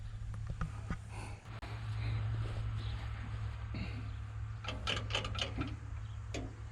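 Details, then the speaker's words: 1940 Ford 9N tractor after a rebuild correcting backwards rod caps, wrong ignition and cam timing, and wiped bearings: a steady low drone with some handling clatter nearby and no knocking; runs normally. "Fighting getting it together, but we got it together, and it runs really good."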